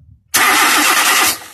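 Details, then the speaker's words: 2001 Nissan Almera, no fuel reaching the fuel line when cranked: about a second of starter spin with no firing pulses; crank no start from no fuel delivery, with the fuel pump relay and fuses suspected. "haven't got any fuel so our problem is film so what we do the first option and check why we have enough fuel we have to check fuses"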